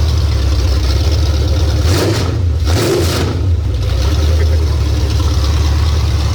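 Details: 351 Cleveland V8 on a home-built run stand with open headers: barks through a couple of quick throttle blips then settles to a steady, even rumble; normal running.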